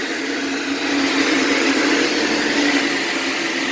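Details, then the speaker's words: 40+ year old vintage Craftsman 8-inch belt-drive table saw with an added belt guard, running at full speed: steady, even high-speed whir and hiss of a sharp, fast-spinning blade, with no knocking or wobble. Normal, healthy running. "can hear how fast those blades are spinning so what a sharp blade"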